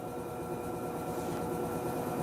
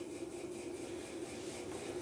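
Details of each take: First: Electrolux 6 kg LTE06 washing machine at spin, worst on first spin: rising hum with a rough grinding pulse about four times a second. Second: Electrolux LTE06 6 kg washing machine after repair of a terrible spin noise traced to a small dent in the pulley: spin now a steady, even hum with no knocking or scraping; normal spin.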